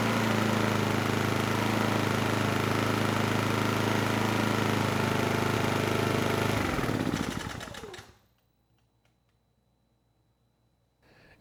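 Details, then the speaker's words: Honeywell HW2000i 2000 W inverter generator, about 20 years old: even, steady drone without surging or misses for about seven seconds under load, then winds down and stops; running normally. "so yeah it's a pretty good machine I mean considering it's 20 years old and it's doing really as well as it is is saying something"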